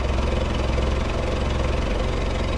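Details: VW Golf Mk3 with original throttle body and single-port injection, new coil pack and distributor: lumpy, uneven idle with deep irregular thumps and stumbles, worse than before; owner suspects the distributor, cause unconfirmed; rough idle.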